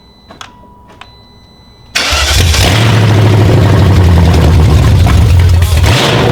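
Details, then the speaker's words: Replacement BMW V8 (M60/M62) just installed in an E38 with its original engine harness: starter cranks, engine clackety while priming, then catches with a loud, uneven, aggressive rumble; rough first start, cause unknown. "Alright. Pretty clackety. Let it run until it runs."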